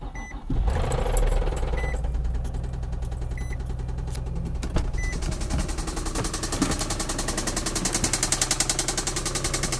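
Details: 2004 Infiniti G35 that developed a lifter tick; the shop found extensive gold-colored metal shavings in the oil, and 1000 miles after repair: heavy, uneven metallic knocking over a rough idle, three to four hits a second; serious internal knock, source unconfirmed.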